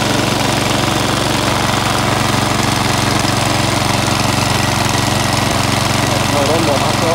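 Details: Cheap Chinese department-store lawn mower, about a year old, unused for half of that, revived and cutting grass: steady busy drone holding speed, no surging or misfiring; runs properly under load.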